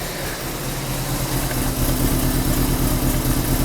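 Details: 1994 Alfa Romeo 33 Imola, 1.4L fuel-injected petrol (90HP), 112,000 km, cold with high idle: uneven lumpy idle stumbling about twice a second, shaking; cylinder misfire from bad spark plug lead, smooth once all four get spark.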